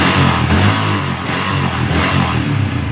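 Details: Yamaha Vixion after fixing flickering indicator lamp, charging at 14 V: short throttle blips rise and fall cleanly, smooth exhaust, no knocks; engine revs normally.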